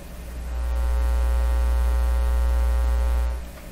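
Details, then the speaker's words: Canadian General Electric C701 console record player tested on shop bench through a mixer: deep, steady mains hum swells with volume, then fades; grounding didn't cure it, suspected shop-setup hum absent in original console. Mains hum. "we hear the hum. Now, that hum is probably not present when all this is back together in its native console, but here in my shop, for some reason, I'm not able to reduce this hum."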